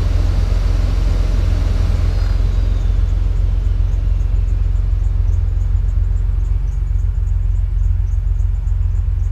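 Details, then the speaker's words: 2005 Chevrolet Impala (W-body) after replacing the failed HVAC blower control module with an ACDelco 15-81727; the blower had run at max constantly, even key-off. Now a steady, even low hum with no surging; normal blower operation. "Alright, let's turn it on and see if we can control that blower fan again."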